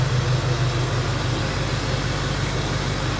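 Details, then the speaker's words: 2004 Duramax diesel donor truck, heard from by the exhaust at start-up: deep, even rumble at steady idle with regular firing pulses and no knocks or rattles; normal healthy diesel idle. "It runs good. Very excited."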